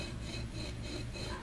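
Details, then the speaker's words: 1979 Chevy truck water pump, removed and leaking, pulley turned slowly by hand: dry, gritty rasping from shot bearings; the pulley flange wobbles, warped and not tracking straight. "The bearings are shot in this thing."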